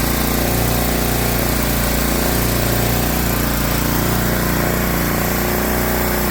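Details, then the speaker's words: Briggs & Stratton 7 hp engine on a Swisher 22-ton log splitter, after carburetor cleaning to cure surging and rough idle: steady, even idle with no hunting or surging, fixed. "Ta-da! Good. Nice, easy fix."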